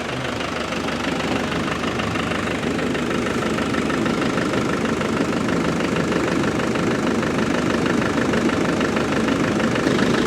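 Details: Land Rover Defender 300TDI diesel started after a thermostat repair and cleaning, refilled with coolant. Steady, even diesel clatter at idle with no knocks or misses: normal idle.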